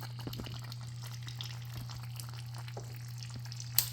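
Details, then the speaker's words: L10s Pro Ultra Heat robot vacuum base station 5V water pump after priming by sucking water into its tube: steady low electric hum, sound changes as water trickles and splashes into the tank; pump primed, filling normally. "Ah, the sound changed. And voila, you see there is water actually flowing inside the tank. And the tank is filling up."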